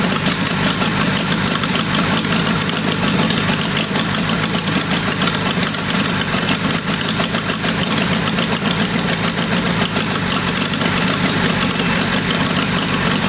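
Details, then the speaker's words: Military 4-cylinder go-kart engine (about 525cc) with VM22 Mikuni carburetor, first test fire after tuning: busy uneven idle with a ragged beat that never settles; suspected runnability problem, possibly ignition. "Okay. I do think we still have some runnability problems. It could have something to do with ignition or something like that."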